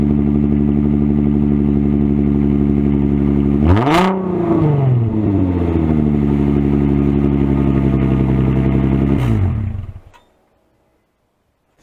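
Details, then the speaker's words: 2005 Infiniti FX35 started with resonator and mufflers removed: deep, loud droning idle with two sharp rev blips, then shutdown. Very raw open exhaust tone. "but before we go I think we should go ahead and start it and see what it sounds like without a resonator and without mufflers"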